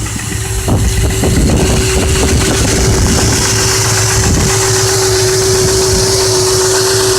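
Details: Ford 5.4 4V V8 at idle with a persistent deep bottom-end knock over a steady tone. It remains after replacing broken timing guides, all four chains, gears and tensioners, plus a 3V oil pump and Cobra pickup tube; owner suspects a spun rod bearing.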